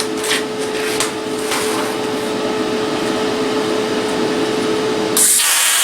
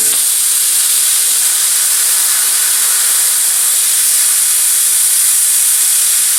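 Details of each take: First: Cheap eBay plasma cutter, first-time user, cutting 3/16 steel slowly; steady hissing roar with thin constant whine, cut looks nice when slower. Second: Cheap eBay plasma cutter cutting with the compressor on at steady 70 psi input pressure; steady even hiss with no sputter or popping, cuts much better than on low air.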